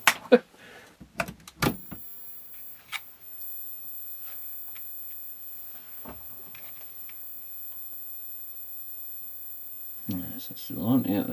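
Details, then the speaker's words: Daewoo-made Trackton DCP-061 5-inch CRT TV under repair, at power-on: a thin, steady high-pitched whine over quiet handling noises; the line output stage is squealing. "turn my C off first since this one's a bit live and dangerous yeah I can hear that squeal"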